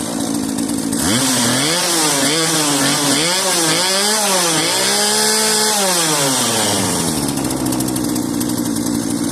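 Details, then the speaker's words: Cheap modern Poulan Pro chainsaw left running on old tank fuel: it settles to a steady idle, blips up and down crisply, then drops back cleanly. The owner expected it needed a carb rebuild; clearly not. Normal running. "I figured that thing at minimum needed the carb rebuilt. Clearly not. Still running. I'm impressed."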